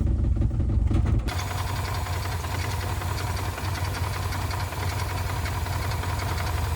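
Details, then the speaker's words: 1979 Mercury Capri Turbo RS revived after 23 years, idle raised from about 600 toward 900 rpm spec: loose tinny rattle over an uneven low idle from the turbo heat shield. "That rattling's the heat shield on the turbo."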